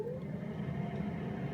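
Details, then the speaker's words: 1960 Mercedes-Benz 180db that sat in a garage for 30 years, switched on from the center switch above the steering-wheel stalk: the two blower motors (left and right, front engine bay) give a steady low hum that rises as they spin up; both work. "That sounds like there is working blower motors, which is excellent."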